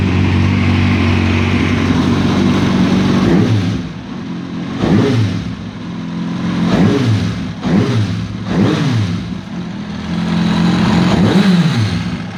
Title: Engine Noise Kawasaki Ninja ZX6R 2005